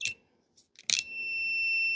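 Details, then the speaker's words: Husqvarna 150BT backpack blower after splicing the broken kill-switch wire: after a few clicks the meter gives a steady high beep that holds, continuity on the red wire end to end, wire intact. "Okay, I'm hooked on the red wire on the other end. Let's touch it on this red wire. We got continuity all the time."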